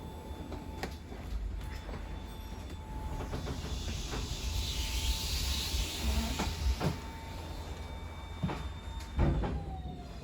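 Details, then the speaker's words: 2022 Wildwood 42DL RV slide-outs fully extended: steady high motor whine for several seconds that sags as the slides bottom out, a cue to release the switch; lights may dim; normal. "Once they're all fully extended, you're going to kind of hear that whine on the motors, then your lights might dim down a little bit. Once you hear that, you're going to want to let go."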